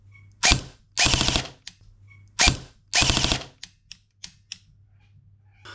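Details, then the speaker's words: Cyma M14 airsoft rifle, upgraded for 0.4 g BBs, with a newly fitted Perun M14 mosfet: two quick bursts of gearbox whir, then only scattered light clicks as it stops cycling after the first shot and errors; cycle-detection fault, owner suspects a sticking semi-release lever. "Now we know from when we first did the first shot, it cycled and shot fine, and it was from the second one onwards that it started flashing and erroring."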